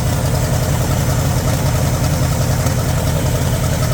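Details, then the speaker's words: 1960 Pontiac Bonneville 389 V8 after sitting about 10 years, dead cylinders on one side, slight blowby: lumpy uneven loping idle stumbling about every second; rough idle from misfire, cylinder starting to come back and smoothing out. "That cylinder is starting to come around. That thing's smoothing out a little bit."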